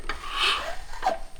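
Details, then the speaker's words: 1982 Honda ATC250R, 250cc two-stroke, long stored outside and seized: crank forced round with breaker bar, heard near the spark plug hole, slow crunchy scraping rasp as the piston works through a rust ridge in the cylinder. "Hear that crunchiness? Come on over here to the spark plug hole. It's working through that rust ridge."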